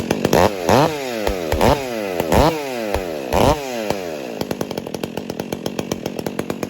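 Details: Newly rebuilt Stihl 400 chainsaw after owner installed upgrades and a chain catcher: crisp revving bursts climbing and falling cleanly, then a steady popping idle; runs strong and healthy.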